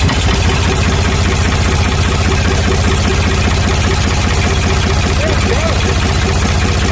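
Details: Ford 555 backhoe diesel after head reinstall, bled fuel filter, injection pump and injectors: steady, even low chug at idle with a firm regular beat, no misses, knocks or hunting; normal diesel idle.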